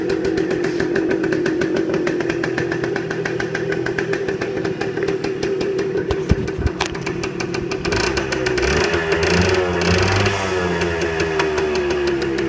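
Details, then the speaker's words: 1978 Suzuki TF 100 two-stroke, which often won't idle on its own: crackly idle holding a fairly steady beat with slight wander; runs nicely; normal idle. "It doesn't really like to idle on its own. It will sometimes. You see now it's doing it, but"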